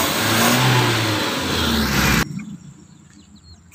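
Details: Suzuki Carry after work to cure heavy cranking: engine revs up strongly and evenly, holds, then is shut off; smooth pull, no misses, running as it should.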